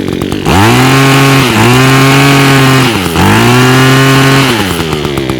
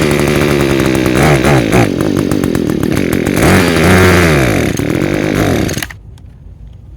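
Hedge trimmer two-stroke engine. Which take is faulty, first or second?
second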